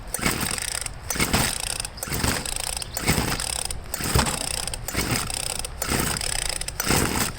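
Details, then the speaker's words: 25cc Craftsman two-stroke string trimmer, pull-started with the throttle held wide open because the cylinder is loaded with fuel and smoking from the exhaust: pull bursts about once a second, each a brief wet sputter that never catches; flooded engine. "i'm holding the throttle wide open because it's flooded"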